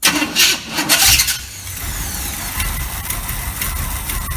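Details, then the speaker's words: 1986 GMC truck with a swapped-in 400 small block V8, after starter install and gas poured down the carburetor. Brief crank, then it catches and settles into a steady rumble with no starter grind: a clean start. "but we've got it up and running everything is good again"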